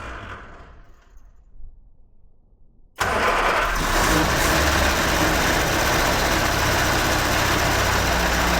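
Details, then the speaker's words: Fire-damaged 1969 Ford Escort MK1 van, crossflow engine, gravity-fed fuel without tank, coil live, a squirt given: near silence, then engine catches at once and runs steadily, no stumbling. Engine starts and runs. "Well, it runs. Must be some oil or something on there. It's running, it's running, it's running."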